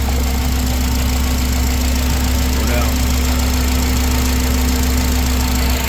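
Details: 2004 Honda Accord after replacing the failed ignition coil that caused rough running and no-start: steady even idle hum, no misfire stumble; check engine light out, only slight hesitation.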